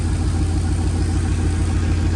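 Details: 1937 Nash coupe, 6.0 Vortec V8, after the 58 lb/hr injector swap, idle 700–800 rpm: lumpy, uneven idle with a low pulsing shake.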